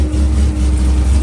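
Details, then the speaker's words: Corvette Z06 V8 with big throttle body and nitrous plate, after water pump replacement and new radiator cap; steady low idle rumble, no ticking, knocking or belt squeal, belt even, no coolant or power steering leaks. "Yep, looks good. Belt's running pretty even. Not seeing any coolant leaking anywhere."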